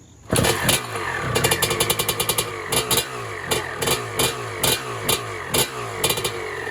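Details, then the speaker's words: 1996 Honda CR250 two-stroke, first start on pump gas, choke off: fires at once into a steady ring-ding idle with clean blips; sounds good, a bit loud likely from a crack in the exhaust pipe. "Actually sounds pretty good. This is the crack in the pipe, so it's a little bit loud maybe from there,"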